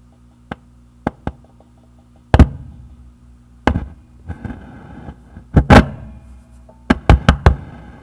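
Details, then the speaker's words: Tube amp humming with reverb on: sharp knocks and clanging rings each time the reverb tube is touched, a microphonic vacuum tube. "the reverb has this tube over here that has microphone X let me turn on the reverb"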